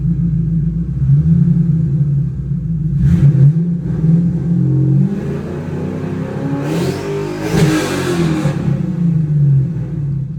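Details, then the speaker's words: 2010 Mustang GT 3V with ON3 turbo kit (490 hp versus 315 stock), free-revving: a deep V8 snaps up through quick rev blips and settles back to idle smoothly, with no misfire, knock or rattle. Healthy. "So yep, she's pretty snappy. Very fast car."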